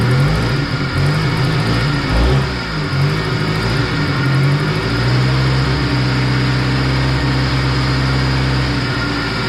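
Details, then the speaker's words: 1990 Honda EF hatch on a jump starter, just after a blown head gasket was replaced, with the radiator still busted and leaking coolant. It starts and holds a steady idle with a few clean revs, and no knocking, ticking or misfire; healthy. "and it seems to be running pretty decent the only thing is it needs that radiator"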